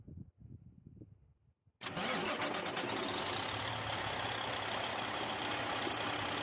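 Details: Detroit 60 Series diesel after heater hose replacement and coolant top-off, possibly with some air in the system; fires at once and settles into a steady, even idle with no knocks or misses; normal start.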